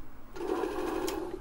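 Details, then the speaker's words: Apple II Disk II floppy drive, very dirty unit with short interface cable: short steady mid-pitched whir with a rough rubbing edge as the drive spins; scraping noise inside, same as the other faulty drive. "I believe this one's got the same scraping noise inside."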